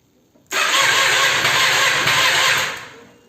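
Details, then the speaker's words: 2006 Triumph Daytona 675 after sitting about two and a half months: starter whirs strongly for about two seconds but the engine never catches; plugs replaced and filter checked, with sputtering and backfiring reported, cause unknown. "basically what it is is the bike is having a very healthy electric uh startup the starter motor is kicking on very good but for some reason the engine just won't turn over"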